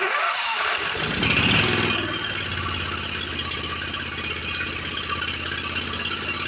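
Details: Commercial Briggs & Stratton 25hp V-twin on a Simplicity Champion XT 48-inch zero turn with no power, oil leak, exhaust leak and rattle, before repair; heads replaced after a pushrod problem. Cranks and catches into an uneven, rattly run with a hissy chuff: rough running with rattle and exhaust leak.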